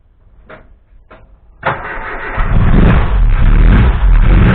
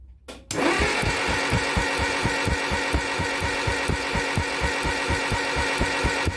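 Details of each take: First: Mk1 Cortina restoration, first run of the newly fitted engine with no coolant system, fabricated fuel line and pressure regulator: catches after a couple of cranks, then revs with a slight uneven stutter; owner blames ignition timing not yet set and fueling slightly off. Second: Mk1 Cortina engine cranked with a spark plug out and lead held near the head to test spark and build oil pressure: even, regular cranking beat about two compressions a second, no firing; normal cranking.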